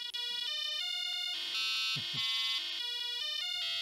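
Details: ZX Spectrum 48K Issue 2 after fitting a new 200-ohm speaker on the PCB: clear square-wave beeps stepping through high pitches in quick sequence, crisp and undistorted; speaker working normally.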